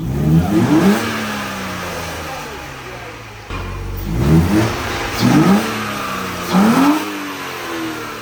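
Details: 1992 Mercedes 190E with the M104 engine, after many parts were replaced and fresh fuel was added: several clean blips rise and fall smoothly back to a calm idle, and the earlier knocking sound is gone. A healthy engine free-revving.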